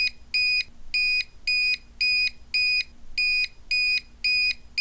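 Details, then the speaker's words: UPS battery backup with a LaserJet printer plugged in: steady, shrill beeps, roughly two a second, repeating without pause; the overload alarm is sounding from too much load. "do not plug a laserjet printer into one of these UPS's because this is what will happen"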